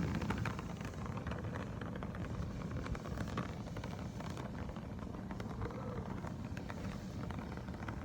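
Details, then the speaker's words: Oxy-acetylene torch during brazing for a Husqvarna 298 chainsaw top-end rebuild, acetylene and oxygen set to about 4–5 psi: a soft, steady low hiss and rumble with little rushing and no popping, a calm, normal neutral flame. "I don't get too much of a rushing noise. I get it down to where it's a neutral flame. Having a little issues with my oxygen. Here, it's not really rushing too much."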